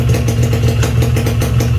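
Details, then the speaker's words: Restored Yamaha RX King two-stroke with a fresh crankcase, clutch and gearbox shaft, ported and run without head rubbers: a steady, even idle that stays the same when the clutch is pulled, so the bottom end is healthy; normal idle. "Kenapa bisa gitu? Karena komponen dalamnya seger, crankcase-nya bagus, couplingnya bagus, as rasionya bagus, ya, bulat, enak didengarnya mesin."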